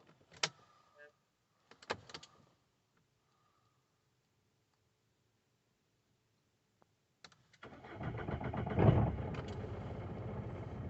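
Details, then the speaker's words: 2018 Citroen Berlingo 1.6 BlueHDi diesel van, 35,000 miles, sat six months after a DPF-fault power loss: clicks, short crank, then starts and settles to a steady, slightly rough idle after a missing fuel pump fuse was replaced and codes cleared. "this all seems to be well actually sure what it sounds like on camera but the engine actually sounds very nice running perfectly"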